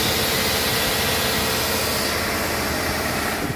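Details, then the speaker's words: 2009 Chevrolet Tahoe 5.3L V8 after engine repair for valve lifter noise, running with water pump and alternator not yet fitted: steady, even hum with no ticking or tapping; earlier side noise gone, idle smooth. "आवाज़ बेहतरीन हो गई है। Engine सुचारू रूप से चल रहा है। यह सुचारू रूप से चल रहा है।"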